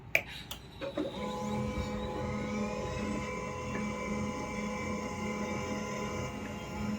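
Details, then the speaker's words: HP LaserJet M1005 MFP stuck on "initializing" at power-on, even after the cable pins and contacts were cleaned: a steady motor whir with faint clicks and thin tones that never settles, the start-up looping; not fixed yet. "तो अभी भी friends ये जो है initialising कर रहा है।"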